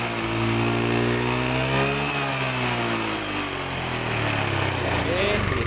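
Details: Honda Beat FI scooter that sputtered and died, suspected weak fuel pump; with the pump unplugged and fuel fed from an IV bottle pressurised by a hand pump, the engine revs up and drops back cleanly with no stumbling or misfire.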